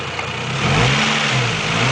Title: weird engine noise!!